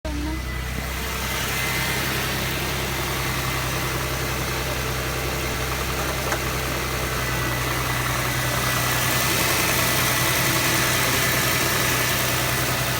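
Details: 2006 Jaguar X-Type 3.0 V6 running; faint, fairly even tapping about three times a second beneath the engine sound, noted under acceleration, an engine ticking or knocking of unclear source.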